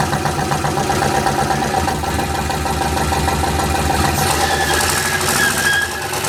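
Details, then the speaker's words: Rear-wheel-drive 1990 Ford Festiva with a turbo LS V8 that had seized, revving during a burnout attempt: rough V8 with a hard knock under the exhaust note that rises with revs. No oil pressure on the gauge (owner suspects a clogged screen); bearing damage suspected. "yeah you guys probably heard it Knocking pretty good this engine is Here for a Good Time not a long time"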